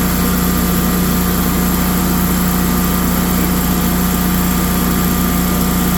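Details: Generac 24kW standby generator started in manual mode after maintenance (oil and filter change, spark plugs, battery check) to test output voltage and frequency; loud steady engine drone with constant low hum, no knocks or misses; running normally.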